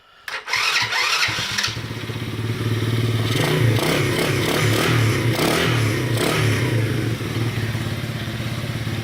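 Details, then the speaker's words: Baja 90cc minibike after Wilderness engine swap, not run that day: catches after a few cranks and settles into a steady, even putter with a soft, quiet exhaust note; slight vibration until warm; runs normally. "Like I said, this one is much quieter than my son's other bike."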